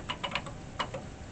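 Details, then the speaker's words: Atari 1050 disk drive, about 40 years old, tested after disassembly and cleaning while booting DOS 3 on an Atari 800. A short burst of sharp, dry ticks, a pause, then a couple more as the head steps normally. "I believe it can I hear the head moving now yeah"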